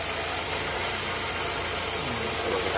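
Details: Toyota Corolla Twincam petrol engine, started cold after nearly four days unused and left idling: a steady airy hiss over the running, from a faulty PCV valve with a pinched, hardened rubber hose.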